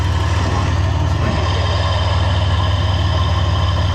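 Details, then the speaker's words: Ford Ranger engine after rebuild with new lifters, head, valve cover and exhaust gaskets, warming up outside after first start with timing being checked: even, low steady idle, no ticking or misses, no coolant leaks; normal idle. "we got no coolant leaks letting it warm up a little bit"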